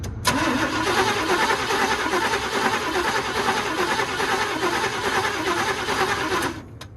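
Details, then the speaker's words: 1962 Chevrolet pickup, sidelined 20 years and last run on propane, starter cranks the engine through poor wiring at a steady, even, healthy rhythm for about six seconds without firing; normal starter cranking. "okay well that's a plus somehow we're making enough connection through these crappy wires to actually kick that starter"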